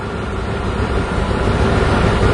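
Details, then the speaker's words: 2002 Ford with rough idle and hesitation: a large vacuum leak gives a rough, uneven low rumble with a hissy air edge, O2 sensors pegged lean and fuel trims swinging strongly negative. "the fuel trims are going really negative on a huge vacuum leak"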